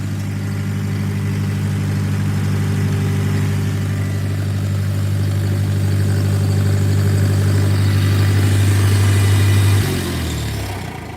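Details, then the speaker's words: Newly bought used tractor running rough, suspected fuel/jet clog, air intake blocked to clear jet, choke out, in neutral: low, even idle hum holding a steady beat; now runs smoothly. "Sounds a lot better. That might have done it. I think you got it on that one."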